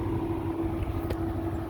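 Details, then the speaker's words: 2020 Can-Am Defender Limited Max cab: steady whooshing radiator fan blowing hard out the fender well with faint constant hum over low idle rumble; fan running normally. "The one thing we did notice is the fan blows really hard out the fender well. So I mean, it's got a really good fan"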